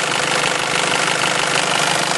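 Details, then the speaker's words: Nissan Elgrand with direct-injection turbo diesel, serviced in Japan, starts first turn of the key; even, busy diesel clatter at steady idle with no knocks or strange noises, a normal diesel idle. "Does sound like a diesel, of course, but it sounds the way it's supposed to sound. No strange noises."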